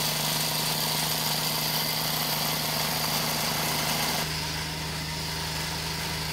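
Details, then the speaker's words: Dewalt D55168 15-gallon oil-less compressor after new piston fitted (worn piston, misaligned flywheel shaft): steady motor hum under loud continuous even hiss at about 170 psi tank, 100 regulated; hiss attributed to air leaking past the piston ring. "okay that kind of hissing noise you hear that's the ring so I think we've got about 170 psi just over 100 regulated"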